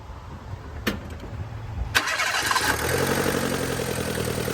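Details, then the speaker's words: Mira at startup with a block-off plate fitted: engine settles into fast idle with a quick puffing tick about four per second; exhaust leak suspected from a possibly cracked exhaust manifold, not confirmed. "See, like this sound right here sounds like an exhaust leak from right here."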